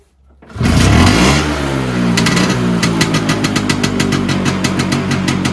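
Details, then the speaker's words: Vespa PX 125 with 177 kit, restored engine (new bearings, seals, piston, rings, lapped cylinder), 2.5% mix, first start after a year: catches first try, revs briefly, settles into a steady, crisp popping idle; idle may need raising. "Eh devo aumentare il minimo Wow no mi sa che devo regolare Questo qua di fianco"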